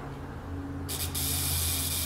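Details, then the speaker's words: Buzz coil on 6 volts with points set, plug gapped about 30 thousandths: steady low electrical buzz then crisp hissing spark, very little arcing at top; coil working normally. "well we are getting a good spark plus working good very very little arcing up on the top again"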